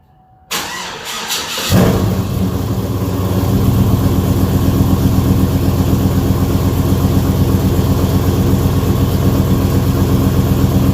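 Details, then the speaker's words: 2007 Chevrolet Avalanche cold start after rear end install (3.73 gears), not started in a while: brief crank, quick catch and flare, then a deep, even, loping V8 idle without misses or knocks; runs good. "What they say in the old days, we spit water, it running good, boy. It running real good. That thing loping, ain't it?"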